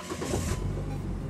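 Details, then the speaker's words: 1999 Saturn SL2 with a no-crank fault after a stereo install, starter circuit wire jumpered: short crank whir, then it fires within half a second and settles to a steady idle; starts promptly. "Ooh, look at that. Fire's right away."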